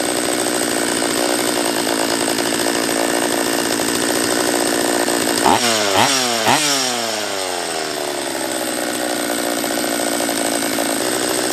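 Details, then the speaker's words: Husqvarna 44 chainsaw after a refurb, on its third heat cycle and not tuning out: screams at high speed, then uneven blips and sags midway. Poor running; owner suspects a lower-end vacuum leak, not confirmed. "yeah not uh not a huge fan of the uh carb on this one not yet all right so it's not running right"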